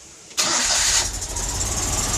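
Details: Citroën 2CV (Project Elly) with new coil, repaired original points-assisted box (no condenser), new spark plugs and fresh oil, after earlier ignition faults: starter barely turns before the twin catches at once and settles into a steady even idle; healthy start.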